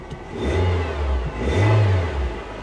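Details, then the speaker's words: Chevy Tahoe from a Copart salvage auction, sitting on a flat tyre: two clean throttle blips, pitch rising and falling smoothly with no knocks or rattles; the engine revs freely and sounds healthy. "Engine sounds healthy."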